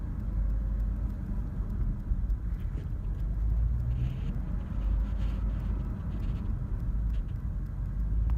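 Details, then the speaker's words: 2004 Dodge Durango 5.7L Hemi V8 idling in park with a deep, uneven, wavering rumble that starts after about three minutes in park; fine in Drive: rough idle. "after sitting in park for maybe three minutes this is what starts but it's only a park put it in Drive it's fine they're back in park does it a stall but it's definitely a rough"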